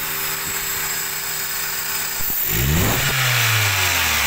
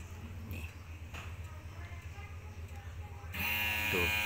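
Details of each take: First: Toyota Avanza, previously hesitating with low rpm, failing electric fuel pump identified: idle about 700 rpm, with AC compressor on the engine climbs smoothly and quickly without stumble; normal revving with AC on. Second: Toyota Avanza electric fuel pump switched on by scan tool, heard at the tank: faint hum, then a loud, steady high-pitched whine, louder than a good pump. Suspected worn internal gears giving weak pressure; pump to be replaced.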